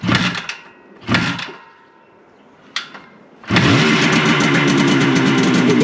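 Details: Classic Benelli 250 2C two-stroke twin, fresh off the workbench, started from cold: a few failed cranks, then it catches and runs unevenly and raspily. It is rough while cold, smoking, and the clutch is sticking; afterwards it feels okay.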